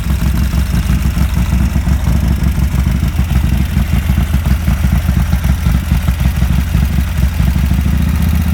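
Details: 1987 Harley-Davidson FXRP (EK, ex-CHP) with Andrews EV27 cam, 15K miles on rebuild: cold idle on choke, a deep, steady, loping V-twin, even and strong with no knocks or misses.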